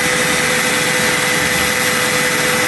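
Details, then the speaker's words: Replacement Super Max trailer jack gearbox driven by a DeWalt drill, empty trailer: loud steady high-pitched drill whine, constant tone, no knocks or grinding; gearbox turns smoothly, normal operation. "The drill is obviously loud, but it's got a hella ratio, like"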